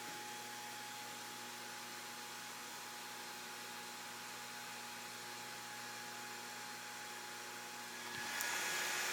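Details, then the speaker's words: Mean Well SC 1048 power supply used as an e-bike charger, delivering about 14 A with voltage untuned: steady low electrical hum with thin fixed tones and hiss while charging; supply hums under load. "you can actually hear these this power supply stream i mean 14 amps it's actually humming a bit"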